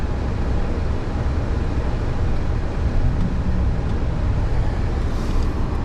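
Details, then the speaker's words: 2006 GMC Sierra after a cold run (title states 24 degrees Celsius): a deep, uneven rumble with no smooth beat, running rough, and the temperature gauge was fluctuating; cause unknown. "She ain't sounding very good. She didn't like none of that. You hear that? She wasn't sounding good."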